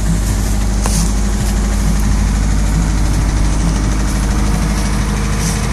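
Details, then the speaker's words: 1991 Honda Prelude beater, smoking more at the front than the back, motor due for replacement: loud, rough idle with uneven low knocking about twice a second buried in heavy rumble; engine knock at idle, cause not pinned down. "don't know if you can hear but it's knocking like a [ __ ]"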